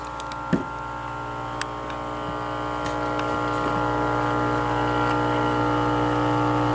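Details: 1946 Hallicrafters S38 early-model radio receiver powered up slowly on reduced voltage around 11 watts: steady low hum with buzzy overtones, growing slightly louder; abnormal hum before full power, cause not yet found.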